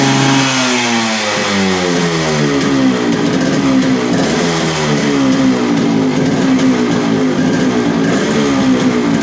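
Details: Yamaha RX100 two-stroke after clutch bell upgrade and carburetor re-adjustment; crisp buzz rises and falls cleanly with throttle, settling back without hanging: normal running.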